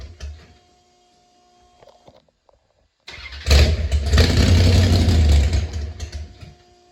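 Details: First start of an engine that had a stuck carburetor needle and seat plus a vacuum leak (later fixed): it catches after a pause, runs lumpy and uneven for a few seconds, then dies.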